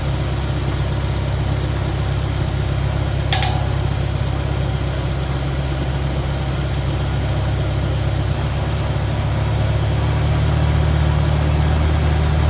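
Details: 1985 Mercury Marquis police interceptor 351 Windsor V8 with mild aftermarket cam, mufflers, timing 12° base/36° max: deep, steady burble with an even beat, no knocks or ticks; not very lopey, slight blow-by; normal idle.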